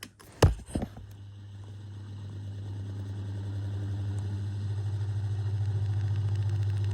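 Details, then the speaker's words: Tatung DS-9C desk fan with PSC motor: after a few knocks it hums up slowly with a faint uneven rubbing pulse from dry bearings; due for a service, weaker than it should be. "And yes, it does have dry bearings, which you can probably hear."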